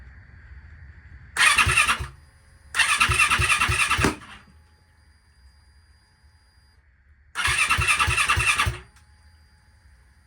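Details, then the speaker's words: Turbo YZ450F dirt bike with a new engine, E85 fuel and an aftermarket FuelTech ECU, on a start attempt after fitting the ground wire. Harsh cranking bursts with loud exhaust pops and no catch; backfire on cranking, ECU timing suspected out of sync with TDC. "as you saw in the video last night when I attempted to start it, it was basically a big backfire out the exhaust."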